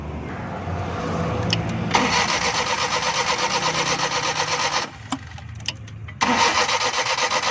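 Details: Suzuki Bolan van on CNG, starting problem: starter churns in uneven bursts, about three beats a second, pausing and retrying without catching; long cranking, hard starting, cause unconfirmed.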